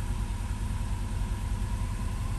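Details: Subaru Outback after catastrophic engine failure, new fuel pump, cooling system not hooked up, oil burning off exhaust, shop about 90°F: low, steady idle rumble with occasional small stumble; slight misfire, cause unknown.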